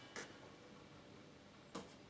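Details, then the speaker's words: Solis solar inverter that starts but won't run: sharp isolated relay clicks about 1.5 s apart in a quiet room as it fails to start generating, on zero watts; suspected Zettler relay contact pressure problem. "there's a relay got some clicking"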